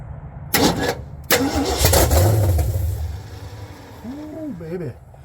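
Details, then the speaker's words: 1972 Ford F100 V8 that sat in a field for a while, first start by jumping the solenoid as it won't crank on the key: rapid cranking bursts, then it catches and rumbles loud and raw through open headers before settling. "Sounds like open headers. See what we got. Smells good."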